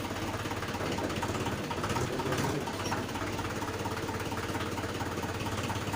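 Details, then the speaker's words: Mahindra 575 DI MKM diesel tractor after clutch repair: clutch pedal pressed and released slowly, engine chugs evenly at a steady beat with no grinding or squeal; the earlier clutch noise is gone, engagement is normal. "तो दोस्तों हमने clutch pedal दबाया और फिर देखो धीरे धीरे छोड़ रहे हैं। इसमें अब आवाज़ बिल्कुल भी नहीं है, ये बिल्कुल स्वस्थ हो गया"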